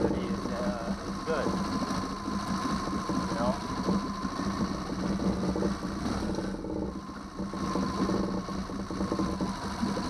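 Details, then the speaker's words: 2009 Yamaha 6 hp four-stroke outboard, after non-start troubleshooting: steady, even idle with low constant note and no misses or knocks; cooling water shoots out the back. "Let's start it. Started the motor. Water shoots out in the back really far too."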